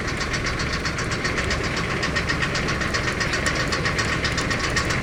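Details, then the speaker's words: Thai 12-wheel truck (S 700) diesel just started: even, quick clatter of about four beats a second, smooth and steady with no smoke; healthy normal idle. "เริ่มมาแล้วนี่สตาร์ทเครื่องนะครับนี่ไอไม่มีแล้วก็เสียงนิ่มๆเลยครับ"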